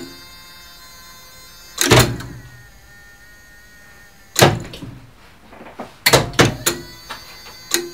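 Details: Elevator mock-up run by an original relay controller for a two-speed licensed lift, the cabin stopping at every floor; loud, even bursts of relay clacks at each floor stop, the control working as it should.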